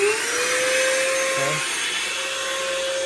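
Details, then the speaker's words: Shop vacuum for DIY soda blaster cabinet, powered through VEVOR 2000VA variable transformer at full output: steady high motor whine with hissing airflow rush, even throughout; running normally at full speed. "Let's watch what we can do, and you can just listen to the output of the vacuum. So right now we should be on full blast."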